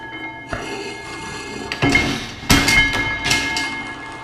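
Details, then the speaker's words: Full-size reproduction of 1867 Otto & Langen free-piston engine, governor adjusted up to near 80 RPM, hydrogen ignition flame: slow uneven heavy thumps and clatter about once a second; normal running. "getting up more near 80 RPM. Yeah, a little bit more speed."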